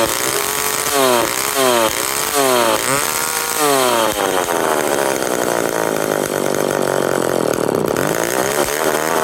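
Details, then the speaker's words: McCulloch 10-10 Automatic two-stroke chainsaw on first run (old fuel suspected, recoil broken): blips up and falls back in surges, then holds a ragged high rev; it runs but won't idle, cause not yet found. "yes it does run and it will run but I need to fix the recoil I need to figure out why it won't idle"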